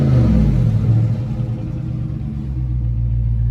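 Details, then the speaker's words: Low-mileage 2020 Dodge Charger Scat Pack at Copart, free-revved: a deep, throaty V8 rev that rises and settles smoothly with no knocks or misses; it possibly has a mid-muffler delete; sounds healthy. "it does sound like it has maybe a mid muffler delete so it put it should sound pretty good let's find out all right"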